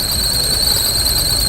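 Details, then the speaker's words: Car engine drive belt, heard when starting in the morning; constant piercing high-pitched squeal at one pitch over faint engine hum, as belt tightens when hot and goes loose after cooling; fix is adjusting or replacing belt. "கீச்சு கீச்சு நாய்ஸ் எச்சா கேட்குதுன்னு. இது மேபி என்ன கம்ப்ளைண்ட்னா பெல்ட் வந்து வண்டியில் மாட்டி இருக்கும்போது சூடாக இருக்கும்போது ஹீட்டில் வந்து டெம்பர் ஆகிக்கும். வண்டி ஆறுனதுக்கு அப்புறம் அது தளர்ந்துடும். அப்போ லூஸாக இருக்கும்போது அந்த சவுண்ட் வரும்."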